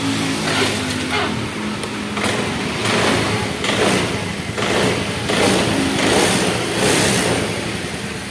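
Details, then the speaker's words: Honda Vario 110 carburetor scooter (CDI replaced before) after the battery was charged to 11.81 V: engine catches and revs up and down in rounded surges about once a second, pulling cleanly. "Ini masih bisa hidup, menandakan pengisian masuk."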